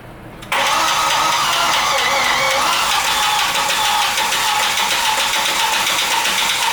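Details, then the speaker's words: Audi A4 B5 1.8T just after an engine swap, first start once the coil packs were reconnected. A dense, sandy metallic clatter rides constantly over the idle; the engine did not sound like this when bought, and something seems badly wrong inside. "This thing sounds like there's fucking sand in it. I don't know if I want to run it like that."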